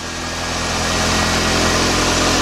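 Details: 1993 Nissan Altima after new alternator install, now charging and warning lights out, idling about five minutes for a black-light oil-leak check: steady, even idle with no knocks, squeals or misses. The engine runs healthy.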